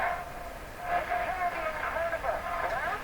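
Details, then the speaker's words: Stromberg Carlson Model 515 radio at low volume: station plays thin and harsh with a fuzzy, buzzy edge on voice and music; contacts and switches being checked, cause not yet found. Distorted audio output. "I'm just going to check all the contact type things in this radio and just see if any of them really hear the distortion in that signal too, right?"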